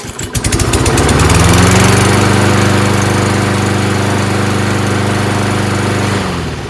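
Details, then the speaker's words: Toro 22-inch Recycler mower with Kohler engine, new HIPA carb, after the rusty flywheel was ground clean so the semi-metallic brake pad grounds the kill; pulls over, runs steadily, then winds down and stops cleanly when released. Normal run and shutdown. "so it just needs a contact to ground to kill that's it so all that stuff that was around the flywheel was not making a good ground contact"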